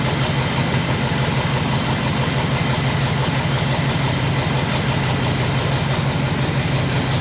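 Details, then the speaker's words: 1960 Pontiac Bonneville old V8, AFB carburetor, new mechanical fuel pump, running about three minutes on one gallon of fresh fuel: rough, lumpy idle with a deep uneven beat; running pretty rich, dwell extremely high. "to that old motor three minutes [Music] it's pretty rich [Music] and the dwells extremely high"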